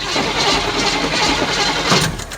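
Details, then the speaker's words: 1972 Chevelle sat 5 years, start attempt: brief rough catch on the starter that fades and dies within a couple of seconds; engine out of gas. "yeah she's out of goose i say we go buy something"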